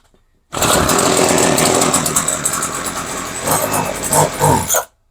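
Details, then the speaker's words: Craftsman 21cc two-stroke hedge trimmer with new fuel lines, choke off: it catches and buzzes harshly for about four seconds, then sputters and dies. Stalling after start; owner suspects hardened carb diaphragms starving it of fuel. "Nope. She wants to die. Let's try that again. So the diaphragms are a little hard. So it can't get the fuel."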